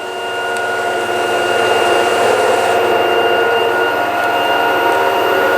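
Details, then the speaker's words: LG washing machine after fixing drain hose knocking on the cabinet: steady high-speed spin with even hum and clean tones, no knocking or banging; running normally. "Кажется, что сейчас взлетит машинка, но никаких звуков нет. Всё шикарно работает."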